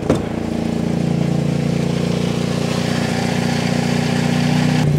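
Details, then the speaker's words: Austin Allegro with Hydragas suspension sitting wonky on one side, rolling slowly: low engine drone with a steady rapid rub about four per second, tyre rubbing on the wheel arch. "it's the wheel Arch on the wheel yeah look because it's because it's wonky on one side because of the hydro gas I presume yeah it's rubbing the wheel Arch on the tire look that's what it is"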